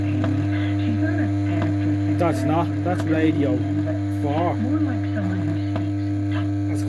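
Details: Pilot valve radio at switch-on: strong steady low mains hum drones under the audio; suspected open-circuit reservoir (smoothing) capacitor in the power supply, not confirmed.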